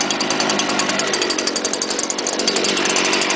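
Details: Stihl leaf blower made November 2010, started on choke with primer, buzzes high and steady with a quick even patter and no misses; it runs well.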